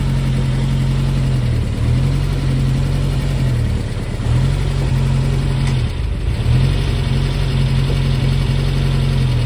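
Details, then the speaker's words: Brubaker Box newly installed air-cooled engine, after first start, all gears selectable: steady low drone with clean rises and falls in revs, no knocks or rattles; engine sounds healthy. Normal running and revving. "but that is nice progress lead the brakes I guess is next but that engine sounds healthy"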